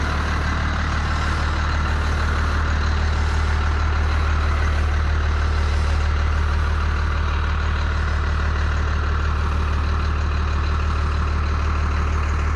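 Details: 1992 Dodge W250 12-valve Cummins diesel, 5-speed manual, 288,429 km, with muffler and resonator, just started after wait-to-start: steady, even low diesel clatter at idle, no misses or knocks; normal healthy first-gen diesel idle.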